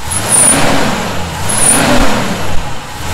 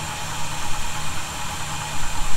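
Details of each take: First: 1971 Chevy C10 pickup revved up and down repeatedly, a thin high whistle rising with each rev on top of the exhaust; sounds like a vacuum leak. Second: 1971 Chevy C10 idling after a cold start, with loose fasteners snugged for a suspected vacuum leak: steady, even low rumble with no whistle or hiss on top. The earlier noise is not heard.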